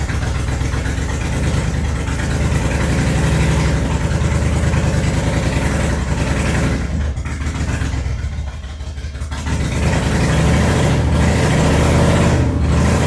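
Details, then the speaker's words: Toyota Cressida with swapped 1UZ V8, started after new spark plugs (all plugs equally fuel-fouled); lumpy loping idle, revs sag instead of climbing, feeling like it's running on one bank only. "well it doesn't seem to want to rev seems like it's kind of just stuck um honestly it feels like it's running on one side like it's not running on all cylinders definitely feels like it's got a serious misfire or just not firing in general"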